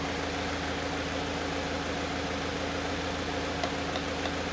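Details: Salvage-auction Subaru BRZ, first run after saving the engine, check engine light on, low on coolant with temperature gauge pegged: steady, even idle with a smooth low hum and no knocks, misses or squeals.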